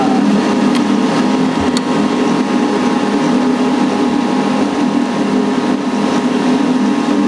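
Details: Heil/ICP model N9MDP furnace just after replacing the bad inducer motor, which had buzzed and kept the furnace from firing. Steady, even draft-fan hum without rattle, scrape or wobble; the new inducer motor runs normally.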